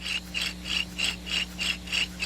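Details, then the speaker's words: 2004 Nissan Maxima 3.5 removed rear wheel bearing hub spun by hand: gritty rasping pulses about three per second; worn rear wheel bearing that was noisy going down the road. "you get imagine the noise just imagine the noise I made going down the road"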